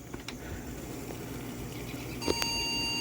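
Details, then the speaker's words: Yard-sale desktop PC at power-on, power button sticking: a couple of short high chirps then one longer beep; beep code read as indicating a memory issue, RAM reseated, cause unconfirmed. "the beep code from what I could tell indicated a memory issue so I reseeded it"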